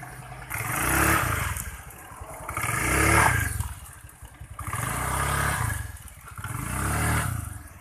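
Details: Honda Vario 110 scooter, previously stumbling on initial low-rev throttle, after air-screw adjustment: four clean blips rising smoothly and falling back to steady idle without stumbling; revs freely, fixed.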